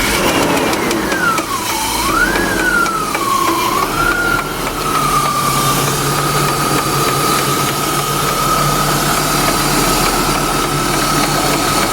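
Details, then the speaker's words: BMW E36 AC Schnitzer convertible that began overheating, started and revved: a high squeal wavering on the blip, then a steady shriek at idle; the belt looks worn, and the serpentine belt is suspected of coming apart and slipping. "oh wait just something to do with the belt the belt looks free used Oh is there a strip on the belt somewhere looks like she got lucky we're thinking it's the SIRT belts coming apart"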